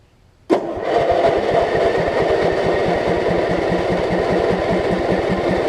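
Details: Lowe's riding mower, converted to a lawn-and-garden battery after ignition repairs, running without the blade fitted: the engine cranks briefly, catches at once and settles into a steady, even putter with no misses or backfiring.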